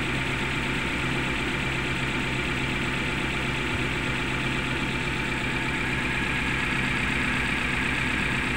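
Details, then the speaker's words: Suzuki Carry Futura pickup, engine idling rough and shaking, limping, sputtering and powerless on throttle; lumpy idle stumbling about twice a second, as if one ignition cylinder not firing; coil, plug or injector suspected; cylinder no. 3 spark checked; misfire. "tapi mesinnya seperti ini kondisinya bergetar seperti itu ya kita coba cek dulu di bagian mesinnya"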